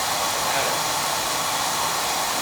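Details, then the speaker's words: Burnham oil boiler during annual service: steady, even flame roar with smooth hiss and no pulsing or rumble; good draft over the fire and good oil flow; healthy burner. "Yeah, we got draft. We got draft over the fire. That's what we want."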